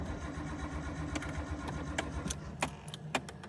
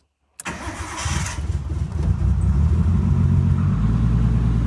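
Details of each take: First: Nissan R33 GTS with newly installed Link G4X plugin ECU and 7-bar MAP sensor, first start attempt on loaded map: uneven, dragging cranking with sharp clicks, never catches; mixture too rich flooded it, plugs likely wet with fuel. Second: Nissan R33 GTS with newly installed Link G4X plugin ECU, after a too-rich flooded no-start, battery charged and wet spark plugs dried: short crank, catches at once and settles into a steady, even idle with no misfires or knocks.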